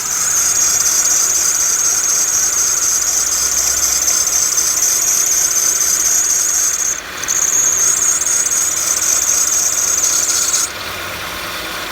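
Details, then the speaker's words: Toyota Matrix with an automatic belt tensioner idling: shrill, steady belt squeal cuts out briefly when water is squirted on the belt, then returns; belt previously sprayed with dressing and now sticky, so it needs cleaning. "goes right away comes right back it's the belt on this one since they sprayed belt dressing on it it's really sticky"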